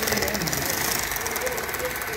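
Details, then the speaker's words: Bachmann Union Pacific F unit model locomotive: quick, regular clunking from a gear over the small motor's buzz, repeating with each turn of the gears. Possibly a damaged gear. "there's a clunking noise in one the gear so you can hear it in the back yeah it's just a clunk"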